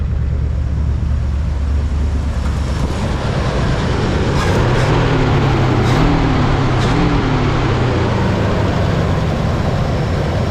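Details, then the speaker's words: 1976 Jeep CJ5 304 V8 idling on its own tank, with the fan back on and charging: even, smooth low rumble with no misses, knocks or ticks. Normal idle. "It's running on its own tank. We also have the fan back on. We're charging which is awesome. She sounds pretty good."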